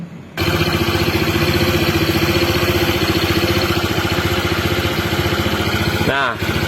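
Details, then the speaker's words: Honda PCX 160 scooter with knocking from the front CVT, started with the front pulley removed: even steady idle with no knocking, so the noise comes from the pulley assembly. "ada ya tidak ada suara klotok-klotok aman ya jadi masalahnya itu ada di sini"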